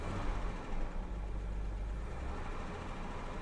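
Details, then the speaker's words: 1985 Jaguar XJ6 Sovereign six-cylinder, owner's complaint is surging when accelerating: here it starts fine and idles with a deep, even rumble, no hunting or surging over several seconds; normal idle, surging not occurring now. "The problem that I have, there it goes, it's starting fine and it's idling fine."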